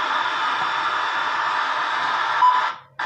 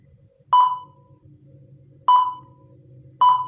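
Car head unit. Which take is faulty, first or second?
second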